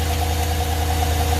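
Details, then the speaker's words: V8 at idle, misfiring badly, with a light sharp intermittent tick tapping in and out, not from the exhaust. Internal damage is suspected, possibly linked to the DOD/AFM system; not yet confirmed. "it's ticking really bad it's clunking in there there's something wrong yep there is damage in there you can hear it that intermittent tick not the exhaust"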